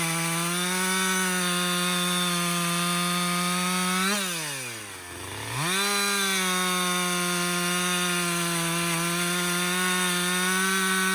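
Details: Husqvarna 562XP 60cc chainsaw, after a dealer reflash of its software for dying when hot and stumbling, bucking windfall: steady high scream sags once briefly in the cut, recovers cleanly; running normally under load.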